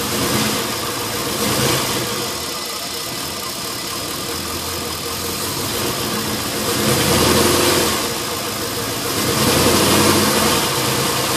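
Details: LS1 V8 after new intake manifold, headers and EGR/AIR delete: idle hunting and surging every few seconds under steady hiss; vacuum leak from an open fitting left uncapped after AIR/EGR removal, not ECU tune; fixed with custom hoses.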